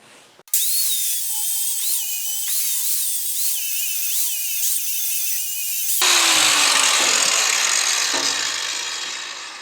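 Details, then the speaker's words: New Fein WSG 7-115 7-amp 4.5-inch (115 mm) angle grinder: clean high whine with brief dips on free run, then even gritty grind removing paint; no bearing or odd noises, sounds healthy. "Well, it's an angle grinder. Doesn't scream, you know, listen for bearings or any type of weird noises like that. It kind of just sounds like a typical angle grinder."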